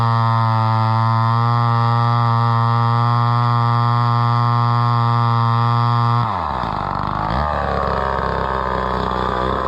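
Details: Homelite Super XL chainsaw bought at auction, at least about 50 years old, unknown when it last ran, started at about half choke; crisp steady high two-stroke buzz drops and roughens as the slightly dull chain cuts wood; runs and cuts fine.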